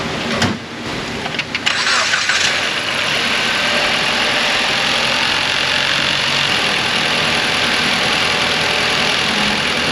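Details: Dodge Journey with belt noise, after reinstalling ground cables and checking alternator bolt: starter cranks briefly, engine catches and settles into a steady, quiet idle with no belt squeal or chirp; healthy.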